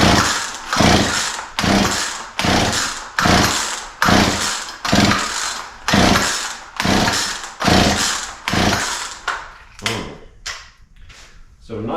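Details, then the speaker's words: Poulan P3314 33cc chainsaw with 14in bar, chain off the bar, bought as a non-runner; switch on, throttle and choke open, carb cleaner sprayed in; about fourteen pull-cord rasps with no pop or firing: cranks but won't start, spark check next. "so far all right well it should have popped off by now so we're going to have to do a little more checking"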